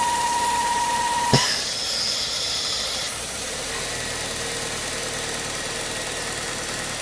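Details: BMW E36 at idle: steady airy hiss with a thin high squeal for a couple of seconds; owner suspects a bad hose.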